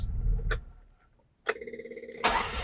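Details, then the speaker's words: Karimun kotak during carburettor repair: a short crank with even pulses catches in under a second and settles straight into a clean steady idle; normal start. "Alah, starter pancal pitik jreng, lur."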